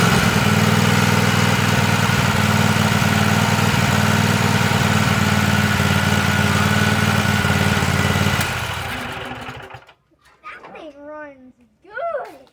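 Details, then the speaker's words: Free Weed Eater tractor, Tecumseh TVT691 two-cylinder, after oiling cylinders and oil and filter change, first run on gas with primed lines: fires right up into a steady even putter, no misses, then shuts off cleanly. Normal start and run. ">> That started right up good. Yeah. >> Okay, that was successful."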